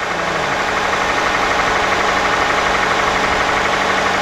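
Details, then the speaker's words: Hyundai Grandeur TG petrol engine idling evenly, no misfire or shake suggesting head gasket trouble; light regular ticking attributed to the purge valve, cheap to replace. "먼저 보시겠어요? 굉장히 지극히 정상적이거든요?"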